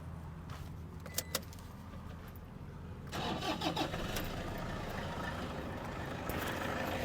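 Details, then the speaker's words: 2008 Toyota Hilux Vigo E 2.5 diesel pickup, cold start: starter then catches at once and settles into steady even idle, no shaking, no smoke; engine normal. "นี่ก็คือเสียงเครื่องยนต์คุณผู้ชมครับเสียงเครื่องดังเดินปกติไม่มีสั่นคอใดๆไม่มีสั่นเบาเดินรอบเบาไม่มีนี่เครื่องเสียงดังปกติครับ"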